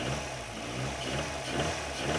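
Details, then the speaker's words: Ford Sierra Cosworth engine knocking at idle: a light, repeated tapping knock under an uneven low rumble. The engine blew up and was rebuilt with second-hand pistons. "We're listening for a knocking noise. So if you have a listen, you just hear that tapping sound."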